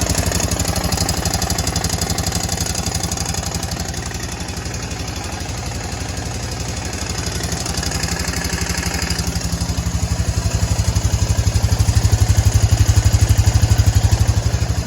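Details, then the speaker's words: 2011 Honda Foreman 500 single-cylinder ATV idling with a steady, loud knock about four beats a second, still present after valve adjustment and getting louder; cause suspected (piston slap, crank, cam chain), not confirmed. "as you can tell when i pulled this four-wheeler up on the left here to to get some service work done to it it's got a very obnoxious uh engine noise"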